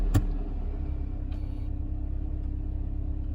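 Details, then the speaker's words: Mercedes 190E W201 with M102 engine after battery replacement: clean start into smooth, even low idle with no rpm irregularity or metallic hiccup; previous hard-start problem, appearing after sitting over 48 hours, resolved. "Parece que simplemente cambiar la batería lo solucionó."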